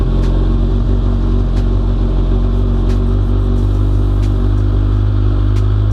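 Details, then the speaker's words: 2017 Kawasaki Ninja 1000, first start after an oil change and months of sitting: a deep, even rumble at a very high, steady cold-start idle while the oil circulates, no knocks or misses; normal. "I like to let the oil circulate and you can hear an audible change in how the bike sounds while"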